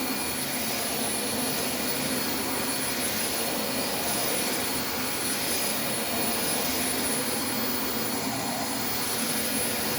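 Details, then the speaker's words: Dyson vacuum like a DC25, running: steady airy roar with a thin high whistle on top. The brush roll makes a funny noise because its cracked end cap lets it move too freely; the rear valve also won't close. "where the brush roll makes a bit of a funny noise because the end cap is cracked obviously it's cracked because it's moving way too freely"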